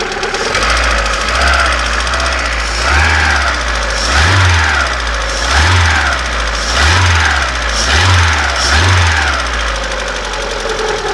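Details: Repeated throttle blips, each bringing a sharp metallic knock that follows the revs near the exhaust manifold; owner asks what it could be, source unclear.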